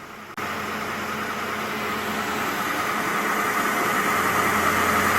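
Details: Mercedes M272 V6 (W212) just after engine air filter replaced with MANN C3698/3-2: even, steady hum with smooth hiss, no misses or ticking; clean healthy idle. Normal idle.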